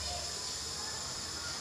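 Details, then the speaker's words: Gas stove on LPG cylinder, Y-branch hose feeding two stoves, after turning flow down to the right: soft, steady, even hiss with no pulsing or sputtering before ignition; normal low gas flow. "sudah seperti ini kecil sekarang putarnya lanjutkan sampai kompor menyala"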